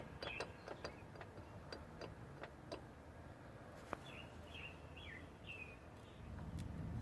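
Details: 1997 Toyota 4Runner driveshaft at 0–5 mph; faint sharp taps of three to four a second near the transfer case as the shaft starts turning, under a low rumble; fixed by a new propeller shaft and tightening a loose transfer-case nut.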